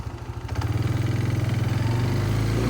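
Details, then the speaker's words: Kawasaki Bayou 220 ATV after clutch repair, riding into grass with a little more resistance: the single-cylinder engine pulls with a steady, even beat and no slipping or chatter. Clutch engagement is normal. "Second gear. Second gear going slow. Smooth, very smooth."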